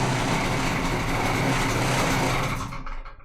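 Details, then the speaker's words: Di Blasi folding moped two-stroke after wiring and carburettor repair. It catches and buzzes at a light, even, duck-like idle for a few seconds before being shut off. It runs fine, with high and low beam working. "It sounds like a duck. High beam, low beam. Okay, it all works. And it sounds like a duck. It really sounds like a duck."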